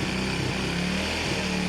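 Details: Rider J 115 FI motorcycle unused for 3 months and wouldn't start; battery was the only problem, now charged to 12.7 V and fuel pump working. Small engine holds a steady, even hum with no stumbling or misfire: normal running.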